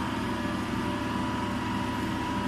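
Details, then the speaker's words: DC shunt motor with 4-point starter, armature control method, about 225–230 V input, starter resistances stepped through to about 1290 rpm: constant steady mid-pitched hum, no grinding or surging; running normally. "इथं चालू केल्यानंतर काय तुमची machine फिरायला सुरुवात करेल या ठिकाणी ठीक आहे."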